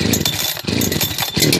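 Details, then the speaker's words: Husqvarna chainsaw, 2014 365 Special (one day owned) or heavily used 2006 61, cold start with choke pulled and chain brake on: two-stroke catches with high buzzing note and rough uneven pulses while cold; normal choked start. "I just love these 365 brilliant little sauce"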